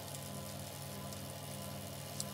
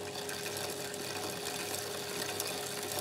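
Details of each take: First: Waxed bicycle chain on a test rig, about 30 seconds after 5 g of dry contamination was added: only a soft, even whir over the rig's hum with no crunching or gritty rasp, so the chain is running clean and normally. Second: Chain on wet lubricant after adding dry contamination: steady gritty grinding hiss with faint whine as absorbed contamination keeps grinding between links, expected to continue about 10 minutes before slowly dissipating; wet lube absorbs far more than solid lube/coating.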